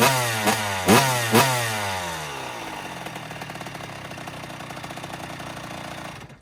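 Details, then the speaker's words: 2009 Kawasaki KX85 two-stroke dirt bike, after repairs; three sharp throttle blips that fall away cleanly, then a crisp, even idle; revs freely and runs properly. "Well, it sounds like it's running a lot better, so that's good. That's how it's supposed to sound."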